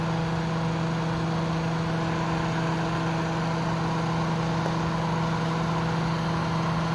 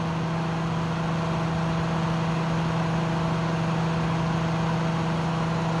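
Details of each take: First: Kenmore dehumidifier compressor running stripped bare, coil frosting and getting cold on both sides top to bottom: constant low hum, steady mid-pitched drone, no knocking or strain; normal compressor running. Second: Kenmore dehumidifier stripped bare, fan held in place by hand during compressor startup: steady low hum with constant loud whooshing fan rush drowning out the compressor; owner suspects unit low on refrigerant.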